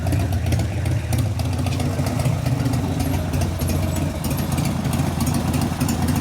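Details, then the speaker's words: 1988 Harley FXR V-twin after the lifter-noise repair (pushrod adjustment and cam change): deep, loping idle with a steady low rumble and no valve tapping. The valvetrain is now quiet and healthy. "so it's quiet noise is gone so much for those bad rocker arms and heavy valve springs and all the other crap everybody's complaining about"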